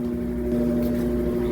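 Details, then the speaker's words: Washing machine after technician replaced the hose; it had stopped spinning, now spin-tested: steady mid-pitched drum hum at constant speed, no knocking, scraping or wobble; normal spin cycle. "Ó, tá centrifugando. Tá vendo? Tá ouvindo o barulhinho? Tá centrifugando. E show de bola, gente."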